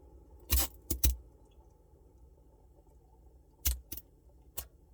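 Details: Samsung Bespoke refrigerator noise: sharp jangling rattles in short irregular bursts over a quiet low hum; abnormal rattle from the fridge, no clear cause.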